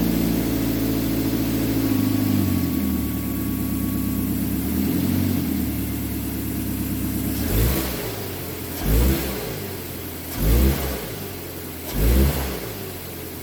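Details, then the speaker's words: 2006 Mazda 3 2.0-litre on a road test after engine and transmission mount replacement for rattling/popping while driving and in gear: smooth pulls through the gears, even engine note, no clunks on shifts; normal driving. "I'm just gonna go for a road test, confirm that the rattling and vibration and all that stuff has gone away."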